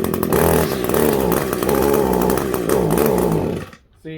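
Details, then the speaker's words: Echo SRM 210i two-stroke line trimmer with a barrel-style carburetor, choke just taken off: a wavering, hunting buzz that never climbs cleanly to full revs, then stalls. The engine won't rev out, and the HI mixture screw needs setting (suspected, not confirmed). "she doesn't want to she doesn't want to rub out"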